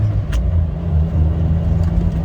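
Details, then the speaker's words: Suzuki Samurai test drive in fourth gear on a frontage road after installing a rebuilt transmission with new bearings: a steady low drivetrain drone with only light, even vibration. The shifter no longer rattles and the transmission runs normally. "so that stick uh putting them new bearings and all that stuff in there seems to have calmed the trans Mission vibration now quite a bit I think we're good"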